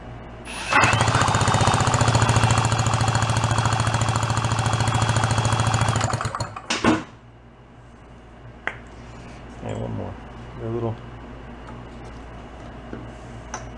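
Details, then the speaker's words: 49cc fold-up suitcase scooter, sat 40+ years, reportedly never ran: about three and a half even chuffs a second for five seconds, then stops; good compression, no firing, bad condenser suspected. "It should rev for about 4 seconds and die. Should. Yeah, it's just not having it."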